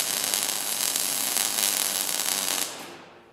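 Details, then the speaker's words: Transformer-type MIG welder with the wire feed turned by hand during a repair. Wire feed too low: harsh hissing crackle with irregular spits and no steady frying buzz, the arc starved of wire. "Ну вот примерно так было видно при недостатке проволоки. Дуга начинает шипеть и просто плевать."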